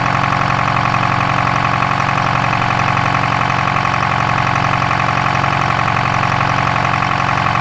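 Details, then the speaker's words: Detroit 4-53TIB two-stroke diesel idling after a turbo swap from a Garrett T04E .96 A/R to a .81 A/R housing, exhaust clamp torqued, checking for leaks: a steady, buzzy, even beat with no knocks, misses or hunting, turbo more audible. "it sure sounds nice you can hear a bit of the turbo more now yeah that's pretty nice"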